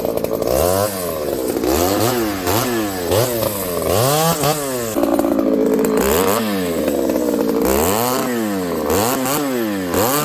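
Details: Ported Homelite 922 chainsaw after clutch and fuel line fix and cooler heat-range plug, cutting very hard wood with punky spots: strong howl that bogs and recovers each pass, crisp pickup and clean revs; healthy under load.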